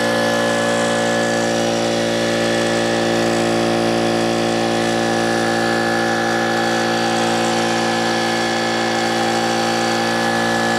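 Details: Old Brute air compressor, whose unloader valve leaked (check valve replaced, no difference), restarting after tank emptied via safety valve; steady motor drone with rough clanking and clattering, worn loose pump.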